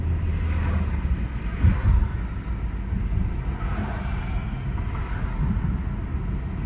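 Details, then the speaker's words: 2020–2023 Hyundai Sonata N Line driving on a test drive in sport mode after installing HKS M45XL spark plugs: deep, even engine rumble under road noise, no stumble, surging or misfire; running good and smooth. "so far she's running good uh smooth no issues no problems everything looks good"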